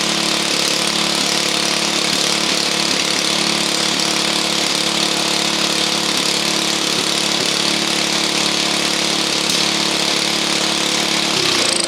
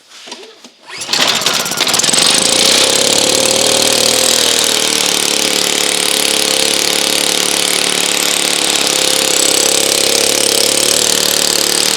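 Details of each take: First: Honda EU2000i inverter generator running with the plugged muffler removed, after earlier spitting and sputtering: steady, even buzzing run with no spitting or sputtering before winding down; healthy running. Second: Honda EU2000i generator with no power, air filter assembly removed, on choke: loud buzzy ragged uneven running, fuel spitting back out of carburetor instead of being drawn in; owner first suspected valve problem; rough running.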